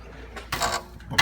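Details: Catalytic converter heat shield tapped, bolt still tight: two short bursts of tinny metallic rattle from the loose shield. Loose heat shield rattle; cat may need removal to check for damage or fit a spacer.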